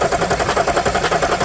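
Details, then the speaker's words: 2014 Audi SQ5 3.0 turbo diesel, high mileage, crank no start, cranking with oil cap off: rapid rhythmic chuffing pulses about eight per second; compression blowing into crankcase. "Yeah. So as you can see there, I could feel that. You might have seen a little bit of smoke, but we definitely got the compression going into the crankcase."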